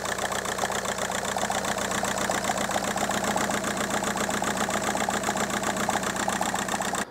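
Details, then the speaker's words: 2002 VW Golf PD130 diesel idling with an uneven, lumpy beat of about two and a half pulses a second, before the injector loom was replaced. A code reader reported a cylinder 3 misfire with low injector voltage. The owner suspects a loose plug, which could be causing lack of power. "it came back and said there was a misfire on cylinder 3 there was something to do with low voltage to the injector on cylinder 3 and then misfire detected on cylinder 3"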